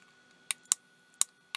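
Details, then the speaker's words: Night Owl night vision monocular with an image intensifier tube, oscillator and step-up transformer feeding a C/W voltage multiplier: four sharp irregular snapping cracks over a faint high whine. High-voltage arcing/breakdown inside. "I hear it's quite nasty oh yeah you see it right in there I know you can see it right near the top but we have breakdown right there"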